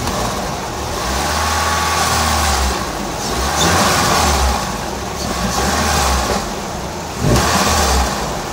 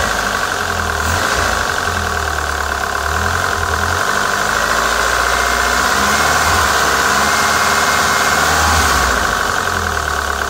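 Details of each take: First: PT Cruiser GT turbo, after head work and fix, valve cover not fully tightened, on jack stands: engine rises and falls cleanly through blips, no clack or miss; healthy, tune still needs adjusting. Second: PT Cruiser GT 2.4 turbo, diesel-like noise after two-hour drive, lifters, rockers and cam caps cleaned and refitted: loud rapid clacking about three or four a second over rough idle; sounded worse after cleaning, valvetrain clatter.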